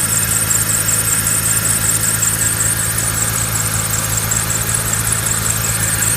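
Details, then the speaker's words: BMW E46 with M54 engine at idle: a thin, steady high squeal that warbles slightly, a chirping squeal from the belt drive. Sound seems to come more from the alternator side; belt or pulleys suspected, cause not confirmed. "Ну, со стороны генератора больше звук идет."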